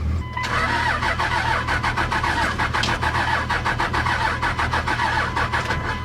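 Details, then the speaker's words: 2000 Dodge Ram 2500 5.9 Cummins diesel, 5-speed, first start after sitting three years, with a jump: steady cranking with even compression pulses about one a second, only briefly firing on ether; not getting fuel, cause suspected, not confirmed. "Sounds like it's not getting fuel. That's all ether. Dang it. Well, it started, but it's not getting fuel."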